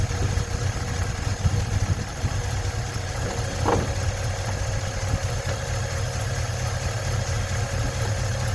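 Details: 1956 Ford truck, 45,000 original miles, running after 40+ years sitting: even settled low idle, no knocking or banging, one brief background chirp; normal idle, battery light on.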